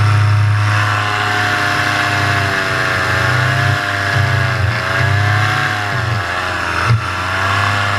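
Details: Paramotor in flight just after launch, full fuel tank, motor under an hour of flying time, full throttle: steady high-pitched two-stroke drone, revs even with slight wavering; healthy, before the later bogging and engine failure.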